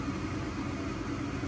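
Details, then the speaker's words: Home gas furnace in heat mode, fan on auto, house at 44°F calling for 70: after the thermostat tick, the blower starts with an even low whooshing hum and no knocks or rattles, running smoothly before the igniter heats. "then for the furnace to activate first it turns on the blower start pushing air throughout the house"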